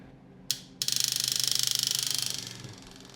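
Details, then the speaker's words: Substitute electric fuel pump on a 1967 Triumph Spitfire Mk3, wired by jumper leads straight to the battery, running dry with no fuel: loud high-pitched pulsing buzz that gets quieter once fuel arrives; a hose leak was then found. "see this one is also noisy when there's no Fu in it but then it becomes quieter"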